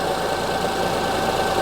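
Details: 2005 Honda Odyssey with flashing check engine light, misfire codes, severe shaking, idling during ignition secondary waveform checks: dense uneven lumpy chuffing idle with faint shake, one cylinder dropping out; misfire.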